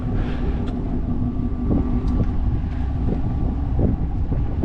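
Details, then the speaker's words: 2024 Chevrolet Silverado idling after a rollover. Low, steady rumble under wind buffeting with no knocks or ticks. Smells of burnt oil, likely oil in the cylinders from rolling over. Sounds really good, motor healthy: normal idle. "Yeah, it sounds really good. Well, that's a relief that it actually runs, so must have a good motor then."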